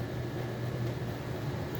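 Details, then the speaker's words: Computer/UPS (nobreak) cooling fan after cleaning, retested mounted and screwed into its housing in case tightening brought the noise back: soft, steady low hum, no rattle, scraping or whine; noise did not return; normal quiet cooling fan. "porque às vezes na hora de apertar com parafuso pode mexer na carcaça do cooler e fazer o ruído novamente vamos ver se tem algum probleminha novamente não fez mais"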